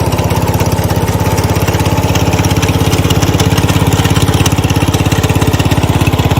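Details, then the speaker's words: 1970 Cub Cadet 127 garden tractor single-cylinder engine, restarted, crisp even thump about 200 beats a minute, steady, no misses or knocks; normal healthy idle, runs pretty good. "Overall, I'm pretty happy with it. Runs pretty good."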